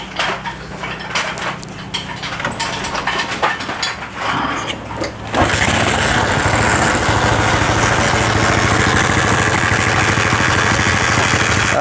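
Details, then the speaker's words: Honda CB/GL motorcycle, valves already adjusted by owner days earlier: after cranking it settles to idle with busy steady ticking from the left top end, louder when revved; valvetrain noise from worn camshaft and rocker arms. "kita hidupkan lagi untuk di bagian atasnya ada suara-suara kasar gitu ya dari sebelah kiri kita kalau kita gas rasanya gimana coba kalau kita gas malah kayak suaranya itu tambah Ya tambah kenceng"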